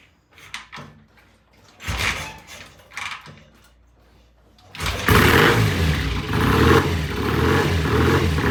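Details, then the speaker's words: 1968 BSA A65 twin, cold start after sitting overnight, sloppy tickle on both carbs and a little throttle, in shop before test ride: fires promptly and settles into a steady even idle; normal cold start and idle. "all right that thing sounds good"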